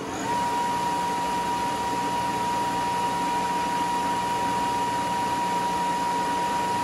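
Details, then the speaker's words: Kellenberger 600U universal cylindrical grinder, configured for 480 volts, wheel head run by itself; clean steady high tone over an even motor hum, no knocks or roughness, quiet and healthy spindle run. "I'll run the wheel head all by itself first, just so we can kind of hear that. And it's nice and quiet in here."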